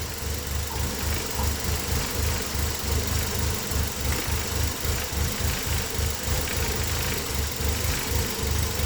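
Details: Engine with code P0400 (EGR) and intake vacuum around 11: a fast, slightly uneven pulsing idle at about three to four beats a second, with hiss over it. Rough idle, cause not confirmed.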